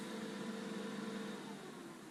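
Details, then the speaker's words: Lincoln Electric Aspect 230 AC/DC water-cooled TIG welder powered on by its rear switch: the cooling fan spins up with a steady tone, holds full speed, then drops back in pitch and loudness. This is its normal fast startup. "So you can see it's a very fast startup procedure. The fan goes up to full speed and then comes right back down,"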